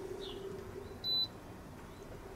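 Two short, high-pitched beeps about a second apart over a quiet background, just the normal keypress confirmation from the controls.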